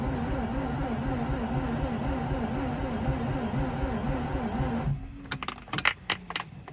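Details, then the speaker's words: Mazda RX8 rotary no-start after replacing 2-year-old fuel with 93 octane; starter churns about four turns a second, steady then dragging and slowing before cutting off, never fires. Cranks but won't start. "all right wow it's even more alive and it's slowing"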